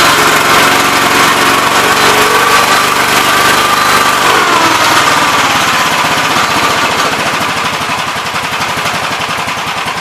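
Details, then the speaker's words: 1971 Gravely C single-cylinder after carb main-jet adjustment, good oil pressure: screams at high even buzz never settling to idle; governor linkage holding carb butterfly too far open, needs adjustment. "so it runs pretty decent i need to adjust the governor linkage so it moves the car butterfly back a little further but uh otherwise it seems decent"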